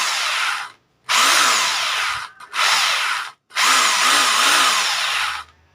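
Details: Rotary hammer drill after home repair (broken bearings, dust seal replaced) test run; three clean bursts of steady high motor whine spinning up and stopping crisply, no grinding or rattle: healthy normal running.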